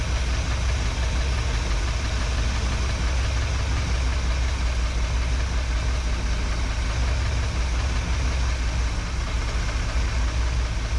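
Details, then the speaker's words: 1961 Chevrolet Parkwood with new exhaust, idle dropped to about 650-700 rpm while adjusting carburetor mixture screws: deep low idle never settles, beat wandering and bouncing; idle set too low, runs rough. "drop it down as low as you can get it to tune on it still running real low I got her down to about 650 to 700 she's bouncing"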